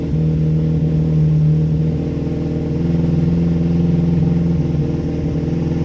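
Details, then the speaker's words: Freshly rebuilt 1311cc A-series engine, first-ever build, held at raised rpm to bed in; steady even note, no knocks or ticks, timing and mixture not yet set. Smooth running, but oil pressure warning light comes on even at high rpm. "Okay, it runs it runs really nicely by the sounds of it, even without um even without the timing and mixture being set properly."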